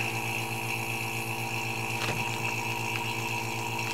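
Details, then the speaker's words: Small vacuum pump with a homemade vacuum needle, sealing freeze-dried food bags: steady pulsing hum with a faint snap-crackle as the contents compress; it takes about 15 seconds to pull down hard. Normal vacuum pump operation. "so you turn that on you see that thing pulling a vacuum out of there and it works really well"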